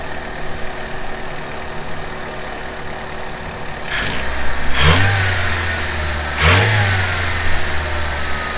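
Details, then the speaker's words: Honda CRX ED8 engine idling after a throttle body swap, warming up, no codes and steady RPM: steady, even low idle with constant pitch and a couple of brief background clunks; idling really smooth, sounds much better with the new throttle body. "But overall, it's idling really smooth right now. It sounds way better with this one."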